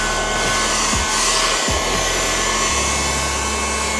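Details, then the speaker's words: A Ryobi USB Lithium FVH67K desktop vacuum on a 2Ah battery whines as it picks up debris, then its motor pitch shifts to a strained, altered tone; the dust cup is full and the filter choked. "Okay, I can definitely tell that, all right, now it's full. You can hear the motor pitch has changed, and We definitely have a very full body in here."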